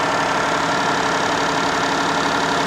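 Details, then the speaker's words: Minivan at idle with an engine that looks recently given a motor mount: fast, steady idle, far too high. Owner suspects something was left disconnected under the hood; not confirmed. "You hear how high this thing's idled up? Way too much."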